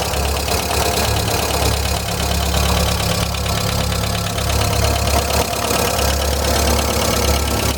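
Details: 1999 VW Gol "bola" 1.0 petrol engine at idle; fast, uneven light tapping over the idle, roughly four per second; owner suspects a lifter (tucho) tapping, unconfirmed.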